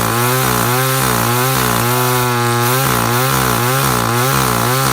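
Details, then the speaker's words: Echo CS3400 top-handle climbing chainsaw, possibly from 2000, with a semi-chisel chain, cutting a log outdoors: revs surge up and down rhythmically as it bites the wood, crisp and clean with no bogging or stumbling; normal running under load. "i said we tried to get set up outside and see if we can cut a log i did start it up and just let it run for a while"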